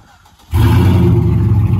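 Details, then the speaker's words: 2007 Chevrolet Silverado just after a fuel pump replacement: catches at once and settles into a strong, steady rumble without cutting off. Normal start. "sir she thinks now boy she's big she thinks i miss that sound i missed it [Music] working now not cutting off"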